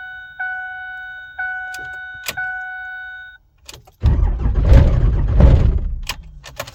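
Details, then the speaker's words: Rebuilt 5.9 Cummins diesel pickup swap, coldest start attempt yet, coolant 14°F, no block heater or grid heater, two 5-year-old batteries; dash chimes then about two seconds of heavy, labored cranking that doesn't catch, owner suspects low voltage. "One more time. It's trying. That oil soak in there just a little bit. Make sure it's easier to crank."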